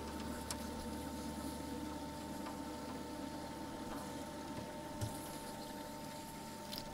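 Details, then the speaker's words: Supercharged Mercedes SLK320 (M112) with a rear-mount heat exchanger, ice box and BMW CWA400 pump: faint steady electric-pump hum over a low watery rumble, sounding strained. Owner suspects a partial clog restricting coolant flow. "sounds like it just clogged again though no it's going so we're going to have a little bit of a flow issue on this hit"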